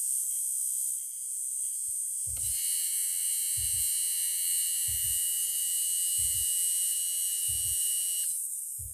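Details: Lada Niva Urban heater blower motor after repair: steady high fan whine with even hum, no rattle or scraping; runs smoothly.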